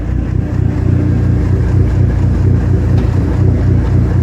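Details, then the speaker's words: Dodge SRT4 turbo at 107,379 miles, manual, at idle: uneven low rattling shudder three to four times a second under engine note; occasional clutch chatter that goes away with clutch pedal pushed in. "The clutch sometimes makes just a little bit of chatter, but when you push the clutch in, that chatter goes away when it does make it."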